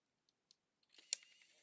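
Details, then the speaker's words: Nikon P900 camera lens extending at power-up during a gearbox repair, with the gearbox believed good: a faint motor whirr with a sharp click midway and light ticks. Stray parts in the zoom mechanism are suspected. "But I know the gearbox is good and but I don't like that clicking noise. It comes out okay."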